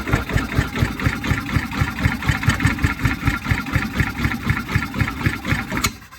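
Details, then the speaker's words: 1989 Yamaha G2 golf cart after valve adjustment (valves slightly tight), still blowback from carburetor intake: steady cranking about four compression beats a second with sharp puffing, maybe one brief fire, no catch; cranks but won't start. "actually heard it may have heard it fire just for a second there I don't know if that's truly a fire or not still not getting the results we're looking for need some help"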